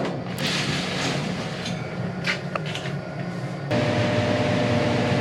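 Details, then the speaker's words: Condo furnace during routine maintenance, running fine but loud: steady blower drone with a coarse buzzing rattle about four beats a second; blower motor drawing 4 A, inducer 2 A, total 5.2 A; loose screws inside the unit vibrating, fixed by tightening. "kind of a little bit of a weird blower noise we're gonna make sure we check amperage you have to hear that buzzing yeah"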